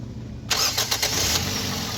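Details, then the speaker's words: 2009–2014 Toyota Corolla after a starter (self) no-crank repair: quiet, then a quick crank that catches at once and settles into a steady idle; the starter engages cleanly and the car starts normally. "अभी self लगा रहे हैं तो अभी आप check कीजिएगा इंशाल्लाह गाड़ी जो है बिल्कुल ओके है ठीक है बैंड करके फिर लगे हैं"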